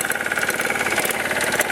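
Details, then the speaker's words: 1987 Briggs & Stratton two-stroke engine on a Super Bagger lawn mower, carburetor well tuned, idling very low: low, even putter with no skipping or hunting; smooth, well-balanced normal idle. "so as you can hear this machine it just idle so low it's just a very well balanced engine"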